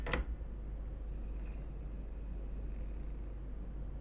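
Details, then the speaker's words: Kenwood mini hi-fi CD mechanism after repair of a too-low mechanism that made the disc rub: now only a faint even whir from the spinning disc, no scraping; normal disc spin. "brilliant i don't see any noise which was a noise of uh turning on the disc on the surface yes so i'm super happy"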